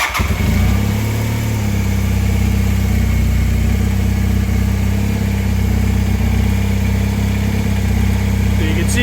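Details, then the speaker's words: 1984 Honda CB450SC twin after carb cleaning, new parts and synchronizing with a homemade two-bottle gauge; the two readings stay together. It fires up and holds a steady, even idle, both cylinders pulling together with no hunting; normal idle. "they're staying together so that's exactly right so now they're synchronized"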